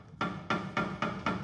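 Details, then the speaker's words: Helicopter tail rotor drive shaft pulled by hand during a check after heavy vibration in flight. Sharp, hard metallic ka-thunks about four a second show too much play from a worn bearing; the tail and rear transmission must come apart for specialized grease. "As you saw, this was vibrating quite a bit, and on the check, you're supposed to pull it. Hear the ka-thunk, ka-thunk?"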